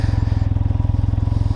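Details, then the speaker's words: 2021 Can-Am Ryker Rally during PDI test, hot weather, pulled over idling: quick even exhaust pulses about seventeen per second with an electric-motor-like background sound, no clatter; normal idle. "definitely has a different sound when it's idling it's almost like a kind of electric motor running kind of a sound in the background there"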